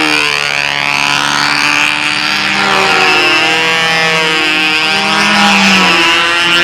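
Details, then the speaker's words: Model engine in flight with a high screaming note that swings through maneuvers, going rich on outside loops and staying lean on insides; Noel's motor, and a tank shim is suggested. "Okay, rich on outsides, stays lean on insides, goes rich on outsides."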